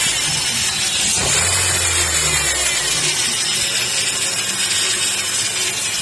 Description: That noise was coming from faulty power steering pump.